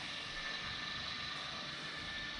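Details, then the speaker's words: Restored old milling machine, X-axis power feed running, other direction: steady even whir of the small gear drive with no knocks or catches; running smoothly. "running really smoothly smooth"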